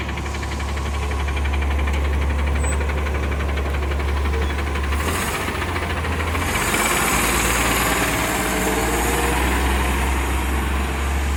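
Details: Diesel refuse truck 2817 on a recycling route: a rapid, uneven puffing tick of about four per second rides over the low rumble, most noticeable when accelerating; exhaust leak.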